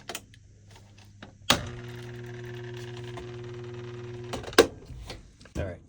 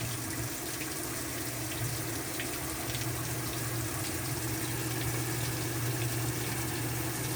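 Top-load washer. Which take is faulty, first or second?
first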